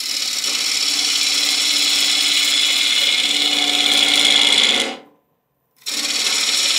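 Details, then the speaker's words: Wood lathe turning an out-of-round bowl blank on a faceplate with a Hurricane carbide tool, speed backed off after vibration, cutting side grain with less than the full cutter width: steady high hiss, even and chatter-free; a clean, smooth cut. "Speed I'm not taking the full width of the carbide cutter and I'm cutting side grain the entire time"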